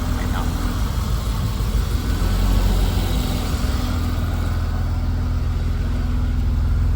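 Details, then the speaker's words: BMW E34 blower motor, tested after a continuity fault was fixed: steady, even rush of air with a low hum and no rattle or squeal; the blower motor now works normally. "So, Yeah, there's some air coming out. Can you hear that? The blower motor is working."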